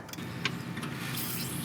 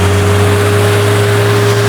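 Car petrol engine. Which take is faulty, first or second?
second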